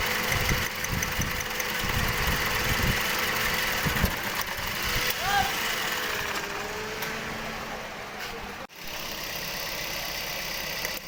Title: Engine Misfiring v3